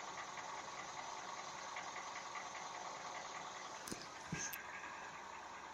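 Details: 1NZ engine running steadily with a faint, regular light knock ticking through the hiss. A knock is present, but its cause is not stated.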